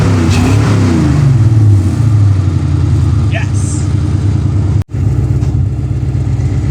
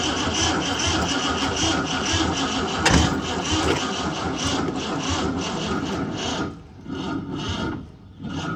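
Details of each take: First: Ford Fox body Mustang first start after new Motorcraft starter solenoid: strong, steady low engine rumble with an even beat, no misses or knocks; normal running. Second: Ford Mustang Fox body on a second start attempt, trickle-charged battery, choke function unknown: engine catches briefly, then a harsh continuous starter whine keeps going on its own; starter stays engaged, welded solenoid.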